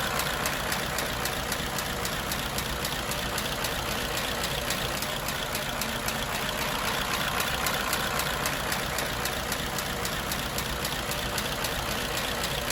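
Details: 1934 Ford Model BB dually truck, 89-year-old flathead V8, hard to start after sitting, fixed with a push-button priming fuel pump: steady, even idle with a soft, regular beat, no knocks or misses; running smoothly.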